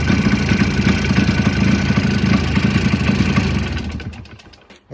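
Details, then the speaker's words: Jawa 638 two-stroke motorcycle, recently bought, idling with an uneven knock of about three to four beats a second, then shut off; the engine is knocking and will be disassembled for diagnosis. "такі в нас неприємні звуки видає силовий агрегат цього мотоциклу тому будемо його розбирати і розбиратись в тому що в нас стучить"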